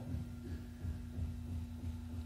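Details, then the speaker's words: Ventisol electric fan brought in for noise and a propeller that would not spin, run at speeds 1, 2 and 3: steady low hum with soft even throb, no rubbing or rattle; motor mechanically normal, only a part missing. "Esse é o barulho comum normal do ventilador tá então ele não tem problema mecânico no seu motor tá normal"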